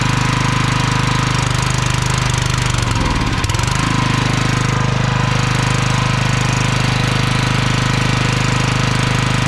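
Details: Log splitter engine unused for 2 years with old fuel, at high idle on choke: it hammers along with a brief stumble and dip before settling. The governor is hunting and it won't hold low idle; a dirty carburetor is suspected, not confirmed.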